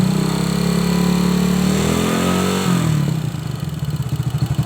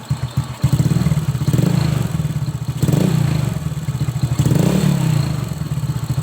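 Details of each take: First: Honda Supra X motorcycle, top end near the valve cover: quiet at idle, metallic clatter rising when revved; valves, camshaft or bushing suspected, cause not yet checked. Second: Old Honda Supra X motorcycle after valve clearance adjustment: revved gently, quiet even beat with only a faint tick left, possibly slightly worn valve tip or rocker; much smoother than before.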